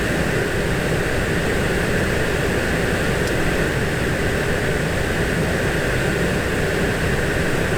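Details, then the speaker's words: 2017 VW Golf Alltrack MK7 with replacement HVAC blower motor fitted after the old one became noisy: steady, even rush of air with smooth motor hum, no ticking or rubbing, at max speed. Normal blower operation. "It sounds like it's making noise, but that's just the motor. That's fine. Alright, I guess it's the sound of airflow. There it is at max"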